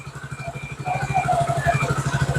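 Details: Motorcycle with a cold engine started during an OBD scanner check (oil temperature sensor read 36 before start), idling on choke at about 1500–1600 rpm, expected to drop as it warms: a steady, smooth thump with no misses. Normal cold fast idle.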